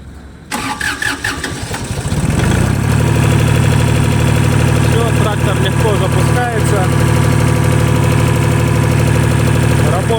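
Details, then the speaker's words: Japanese Shibaura SL1643 4WD three-cylinder diesel mini tractor, just imported from Japan with no use in Russia. Started with the clutch pressed and a little throttle: the starter cranks briefly, it catches within two seconds and settles into a steady, even idle clatter. Healthy start. "все просто давайте запускать трактор выжимаем сцепление немножко газку"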